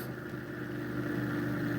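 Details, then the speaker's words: Pulse motor with electromagnet rotor keeps running with supply switched off once the circuit is clipped closed; steady low hum with a clear mid tone; a shorted coil leaks about 100 mA. "And that's definitely because there's a short. And that's what the reading is. It's 100 milliamps."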